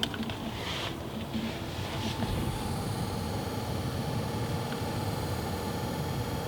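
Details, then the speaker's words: 2016 Subaru WRX STI cabin, AC/heater blower motor on its lowest speed: faint, thin high-pitched whine over steady cabin rumble; blower motor noise, fixed with OEM cover and clips. "you guys hear that noise it's driving me crazy what that noise is is the blower motor for the AC heating system um it's driving me crazy at low speeds"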